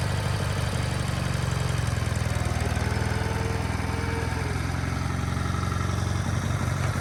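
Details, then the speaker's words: Sears GT18 garden tractor after fitting a replacement transaxle, the old one grinding from a failed bearing: steady, even low chug with no grinding or knocks; runs normally. "this sounds better"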